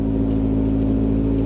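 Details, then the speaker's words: Square-body Chevy truck at auction walk-around, no power steering: steady, even hum settling to a low tone with no misses or ticks; idling down normally. "yeah, there it goes. It's idling down like it's supposed to."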